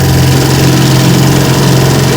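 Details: Restored 1950 Johnson TN-28 5 HP outboard on bayou test run: smooth, steady low burble at idle with even beat and no misses or rattles; idling healthy.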